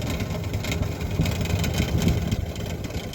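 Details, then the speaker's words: GE refrigerator freezer evaporator fan, running with its cover off before replacement: loud uneven rumbling whir with rough fluttering at steady speed; worn, noisy fan motor. "here's the fan right here this this is the perpetrator this guy here is doing all the noise"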